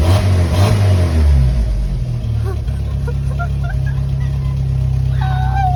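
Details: 1995 Jeep Wrangler YJ 2.5L four-cylinder, after installing a complete OE exhaust kit to fix a rattling blown-out catalytic converter and muffler baffle: a quick rev falls back to an even idle with no metallic rattle. Normal rev and idle; exhaust sounds solid.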